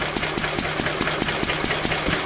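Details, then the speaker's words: Pre-electronic engine after weakening an over-rich mixture to around 17:1; steady quick beat with a sharp crack on every firing stroke over light mechanical clatter, still slightly lean, so it is being richened. "I've So that's still a little bit too weak, look. So we're ripping it a bit more. It's still slightly weak."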